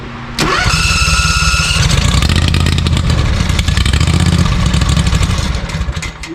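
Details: ZT200 mower with newly fitted replacement engine and new starter solenoid: engine cranks, catches and runs roughly for a few seconds, then sags and dies; fuel starvation from the closed fuel shut-off valve.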